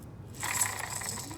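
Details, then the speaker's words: Hand-spun press-fitted fan bearing bracket from a 1992 Mercedes W124 M103 being repaired for random overheating: gritty, clicking metallic rattle instead of a smooth quiet spin, no wiggle; worn bearing that could shed balls and destroy the fan. "hear that shouldn't sound like that should sound like like that not like that doesn't have any wiggle in it but it's a big bearing it's about this long that's press fitted into this thing"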